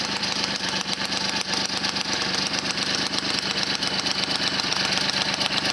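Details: Motobécane 51 VS moped, 1978, two-stroke after a full rebuild (new rings, bearings, seals, clutch, points, condenser) following thirty years seized; crisp rapid popping at a steady fast idle, no knocks or rattles; healthy.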